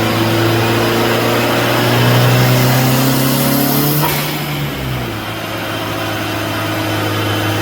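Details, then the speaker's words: Honda CRX on the dyno during partial pulls: revs hang after letting off, then sink slowly toward idle instead of dropping cleanly; sticking throttle, slow return to idle. "So you can hear the throttle is sticking."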